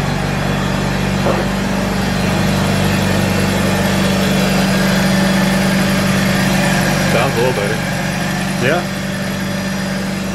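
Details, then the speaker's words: Mazda RX8 rotary after cheap maintenance, idling while warming up: smooth, steady low hum with even pulse and no stumbling; owners note it's no longer missing like before, though it could use a new throwout bearing. "Well, it's not missing. I said, well, it's not missing. Don't sound like it. Not like it was."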